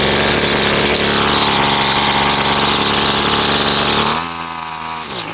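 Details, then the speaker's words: Husqvarna two-stroke string trimmer restarted after running only on choke: buzzy, high uneven running that surges higher near the end; carburetor high and low mixture settings and idle clearly out of adjustment. "let's uh let's start it back up because it's obviously got problems with the uh high and low settings and the uh idle is not right not right for sure still"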